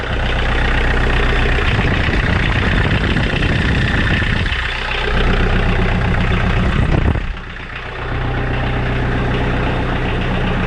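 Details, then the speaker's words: 2012 Kioti DK40se HST diesel tractor after glow plug replacement, previously hard starting with white smoke: low, steady idle with an even beat and two brief dips, no white smoke, stumbling or misfire; healthy normal diesel idle. "I have absolutely no white smoke there no hesitation whatsoever and so that's a beautiful thing what more can I say"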